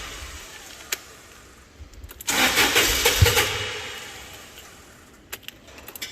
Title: fork lift hard start right after repairs